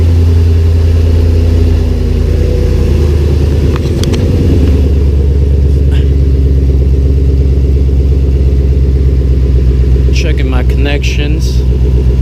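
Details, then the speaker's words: 2006 Mustang Coyote swap with reinstalled T56, first start after refitting fuel pump relay, idling in neutral: deep, steady, even idle with smooth low rumble, no misses or knocks; a burning smell noted; normal idle. "I'm sure I'll find that afterwards for now sounds good on there"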